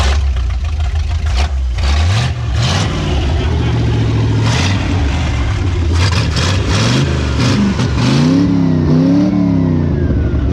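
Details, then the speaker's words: Dodge W100 4x4 with swapped-in 360 V8 from a D100, first start after swap, ballast resistor jumped, temporary Honda fuel tank: deep idle then clean revs, even beat, no knocks or ticks; sounds healthy. "sounds pretty healthy enough yeah"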